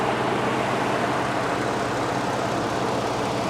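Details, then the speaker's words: Ford F-150 King Ranch with Motorcraft battery, heard under the open hood with air conditioner cycling and fans turning: smooth, even hum with no knocks, ticks or misses; engine running healthy, normal running. "Oh, this sounds nice. This really does."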